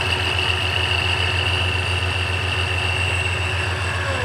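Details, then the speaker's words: 3.7 V6 Mustang with ProCharger supercharger, started after both brackets were shaved to fix belt misalignment and belt dust: smooth even idle, low rumble with constant high whine, no belt chirp or rubbing; healthy. "so now I just need to start her up and see if everything's good back here and how it runs he's running okay"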